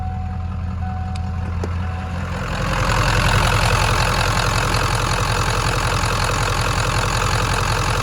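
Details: 1996 Ford F-250 7.3L diesel, warm, with burned, stuck-closed glow plug relay disconnected; short crank, then fires and settles into a steady, even idle clatter, running smoothly.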